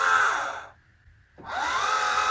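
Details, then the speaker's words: Orion XX14g 14-inch GoTo Dobsonian telescope, SynScan-controlled, during restoration: the azimuth motor's high whine cuts out for about half a second, then winds back up. Owner suspects too much gear slop, something loose where the gear attaches to the base. "कर रहा है लेकिन मुझे लगता है कि gear में बहुत अधिक ढलान है यह आधार से कैसे जुड़ा है, इसमें कुछ ढीला है,"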